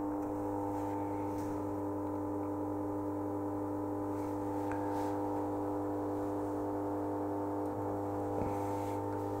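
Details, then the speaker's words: 1974 HP 5340A 18 GHz frequency counter running: steady low hum with a constant drone and faint rattle from the internal cooling fan, a common loud-fan fault on this model. "after hitting the reset button we are starting at zero and the nose you probably hear that's only the fan inside it seems this is a pretty frequent problem here"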